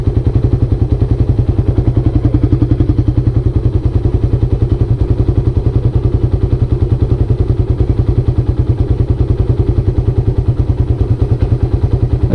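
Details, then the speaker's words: Carbureted Suzuki Raider 150 idling too low. Idle should be about 1,400–1,600 rpm (standard 1.4–1.6). A slow, lumpy thump of about 3.5 beats a second; low idle is said to cause tensioner noise. "Medyo kulang sa idle. Pero kung totoo sa'yo, mababa talaga to. Dapat nandito siya sa gitna ng 1 and 2"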